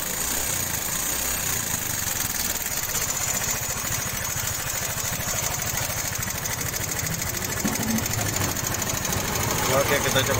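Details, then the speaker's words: Yamaha Mio 125 scooter idling before valve adjustment, complaint of noise from the valves: fast light ticking on top, a sewing-machine sound, from excessive valve clearance. "Pasien ini keluhannya bunyi di bagian klep bro ya, dan bunyi ngelitik ya bro."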